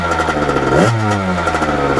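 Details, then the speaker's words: 1989 Kawasaki KX80 big bore two-stroke after a pilot jet change, main jet kept at 122: crisp revs rising and falling cleanly with a sharp buzzy note, no bog or misfire; runs great, less smoke. "you guys can hear it really run great now so that pilot jet did make a little bit of a difference"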